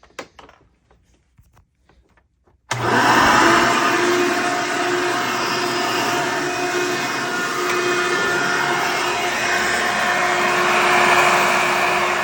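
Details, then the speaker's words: Hoover Decade Soft & Light Elite vacuum, in use since May 2024, louder than normal even after greasing motor and brushroll bearings: motor spins up to a harsh, loud steady roar; owner suspects bad 7-blade fan impeller. "yeah to me there folks that kind of sounds like a bad fan to me here in this this vacuum just with how really loud which is how really loud this thing is being"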